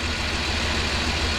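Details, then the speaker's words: 2001 Chrysler Town & Country with rough, shaking idle and code P0353 (coil 3 circuit): lumpy idle with a missing exhaust beat; there is actually no spark on cylinder 2, so the ignition coil is to be replaced. "Although we're getting the code 353 that the computer detecting cylinder number 3 is the problem, in reality is this cylinder number 2. We got nothing going on here. So we're gonna replace the ignition coil and come back and see if we take care of the problem."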